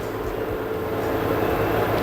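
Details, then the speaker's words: LG 8 kg/5 kg inverter washer-dryer combo with direct-drive motor, display possibly water-damaged, quick-test mode: steady smooth whir holding high spin as rpm rises past 1000 toward 1400, no knocking or scraping; motor fine, normal drum spin. "Door already got locked. Now drum start to work. Motor, that's mean motor actually it is no issue. Yeah, increasing RPM you can see with the Q test."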